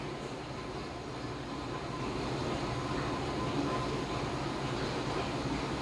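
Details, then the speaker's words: Homemade keg washer, CO2 purge at about 19 psi after the cold-water rinse: a steady rushing hiss with a rough sputter as gas drives the last water out of the keg, heard evacuating completely before CO2 is shut off; normal. "Right there, I can hear it evacuating completely. So I shut the CO2 off."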